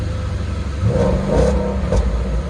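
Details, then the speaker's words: Auction car with actual 19,000 miles: V8 revs up twice and settles back to a smooth, even idle, no knocking or misses; sounds really good. "Not bad, actually. Not bad at all. Actual 19,000 miles. Sounds really good, for sure."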